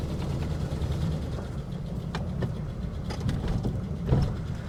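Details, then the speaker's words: 1967 Barracuda V8, last road use unknown: lumpy, uneven idle with irregular pops and stumbles breaking the beat. Old gas is suspected. Misfire at idle, cause not yet pinned down. "Doesn't sound good, that's for sure. It could have old gas in it, though, as well."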